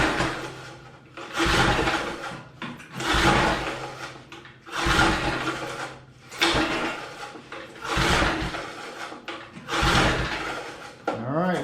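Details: 1988 MTD garden tiller, believed not to have run in decades: spark plug refitted and carb/choke cleaner sprayed into the throat, then repeated rope pulls with a swishing, chuffing crank and no firing. Cranks but will not start; cause not yet found.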